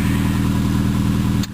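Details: 2001 Subaru Outback idling after the failed knock sensor (code P0325) was replaced and the code cleared: smooth, steady low idle with an even beat and no knocks or rattles. No check engine light; running as it should.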